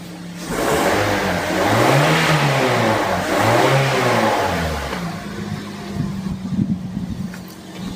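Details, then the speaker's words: Used petrol car being inspected before purchase, engine running: revs rise and fall smoothly twice with no misfire or knock; engine sits steady without shaking or excess vibration, and exhaust shows only water vapour, suggesting complete combustion. Normal. "di mesin hidup seperti ini dia tidak ada goyang sama sekali otomatis mesinnya ini dalam kondisi yang tenang tidak keroncalan tidak bergetar yang berlebihan"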